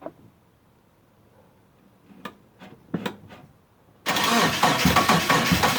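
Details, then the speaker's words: Mitsubishi sitting about eight and a half years, fuel pump now connected: a few quiet clicks, then labored cranking at three to four turns a second, no start; battery seems to be dying; owner suspects crank position sensor. "hook up the battery charger because it sounds like the battery's dying out on me"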